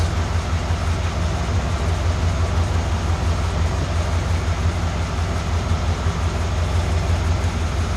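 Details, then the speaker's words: 1991 Cadillac Brougham at idle, old exhaust with muffler fitted backwards and upside down and no resonator: deep steady rumble, about 68–70 dB, with a distinctive beat about twice a second; exhaust drone, baseline before replacement. "you can clearly hear as well as see on the meas on the meter a distinctive beat sound about uh twice per second"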